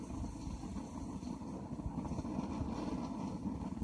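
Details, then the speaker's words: Old blowlamp, lit and warmed after the denim wick burnt out, gives a steady, rough low roar with no sputtering or gaps, burning evenly though flame not visible, in windy conditions; owner still struggling to get enough heat. "I can hear it roaring, although I can't see it. Now the denim is burnt out now and the flames stopped, but I can hear that roaring, so I know there's flames coming out of there."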